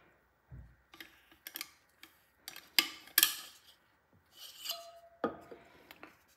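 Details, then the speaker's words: Anglerfish Panasonic BGH1 remote underwater housing: the camera fixture plate slides onto its pins and locks in, giving scattered sharp clicks among light handling noise. The plate engages the locking mechanism normally. "the fixer plate slides on a set of pins and locks in place once pushed in you can hear the clicking sound indicating that the fixture plate is engaged with the locking mechanism"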